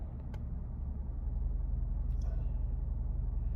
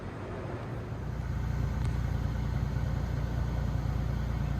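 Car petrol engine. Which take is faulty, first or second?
first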